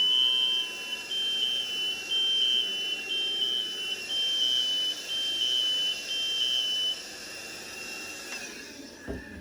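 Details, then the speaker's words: Interconnected alarm setup (two wireless, one hardwired, wall controller). The alarm sounding without a flashing red light is the one causing it: a piercing high beep about once a second that stops once its sensing chamber is vacuumed clean of contamination. "This one's making noise, but it's not flashing red. That's the one that's causing it. Grab a vacuum cleaner."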